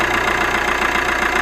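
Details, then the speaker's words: Alfa Romeo MiTo 1.3 JTDm diesel idling after injector seal replacement and two reconditioned injectors fitted, not yet coded to the car: an even diesel tick with a steady rhythm and no shaking, running smoothly. Normal idle. "sounds really good these new injectors because they've been rebuilt they've been re it coded"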